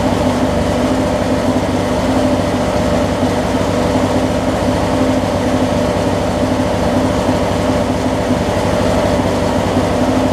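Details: Craftsman opposed-twin riding mower just after fitting a new ignition switch: steady, even engine run with a smooth low drone, no knocks or misses; running healthy.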